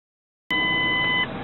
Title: V1007 - Weird Car Beeping Noise Drives Me Nuts